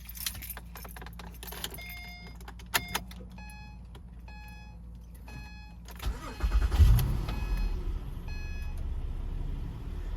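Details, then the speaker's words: 2010–2013 Acura ZDX with rough long starts after parking, after replacing the fuel pump relay and reconnecting the battery: starter catches quickly after door chimes and settles into a steady, even idle; normal start. "Okay, it started like normal."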